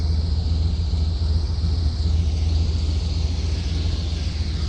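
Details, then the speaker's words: Custom 1979 Ford Pathfinder Quadravan 4x4 after repair work, still due a tune-up with vacuum leaks to find: low, smooth, even rumble at steady idle, no ticking, knocking or stumbling, not leaking; engine sounds healthy. "All that hard work paid off. Motor sounds good too. Not leaking."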